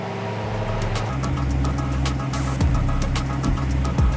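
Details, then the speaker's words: Crashed Dodge Hellcat SRT V8 after rebuild, first start on a jump pack after a suspected flat battery: catches and settles into deep even idle, no knocks or misses; no leaks, slight smoke from coolant burning off. "Yeah, it's good. No leaks so far. A bit of smoke, but it's just coolant."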